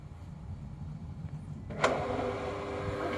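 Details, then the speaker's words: Pool pump with temporary capacitor replacement, primed with water and turned on, filter breather open: quiet, then motor kicks on with short surge and settles into a steady hum moving water; starts and runs normally, pushing air out. "okay so the pump is working and i also open the breather here on top of the filter so it's going to be posting air out right now it's just moving water as you can see there inside the pump"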